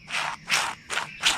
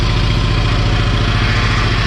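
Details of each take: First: Low-hour diesel Kubota T1600 tractor's Eaton hydrostatic transaxle (owner thinks a 750): a sealed bearing cut off from oil, turned by hand, gives a dry, rough rasping with each stroke. Dry bearing; packing it with grease quieted it a lot. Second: 1985 Kubota T1600 diesel garden tractor, 290 hours, after hydrostatic transaxle repair: steady low diesel chug, even beat, no grinding, clunking or whine from drive; normal hydrostatic drive operation, repair seems to work.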